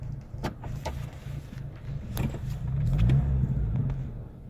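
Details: 2009 Chevy Colorado, code P0017: uneven lumpy idle, brief surge, then stall while driving, shifted to neutral; cause was a faulty cam phaser after several sensors were replaced.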